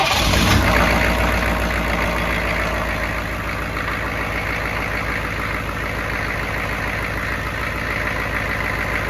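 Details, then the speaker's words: 1995 GMC 3500 diesel with a Jasper long block fitted in 2012, sat about 3 years (off the road since 2017), with a new battery and starter. A quick crank, catches at once, then steady diesel clatter at idle; starting good. "I guess when they were trying to re-prime the system they about burnt that starter up so now she's in starting like starting good"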